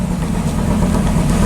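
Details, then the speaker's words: 2004 Dodge Ram SRT-10 with owner-built turbo kit, first start after about five months sitting: deep, lumpy idle with an uneven beat, running lean with warning lights on and feeling like it's misfiring; rough idle. "here we go damn she's lean sitting so long we got a bunch of lights"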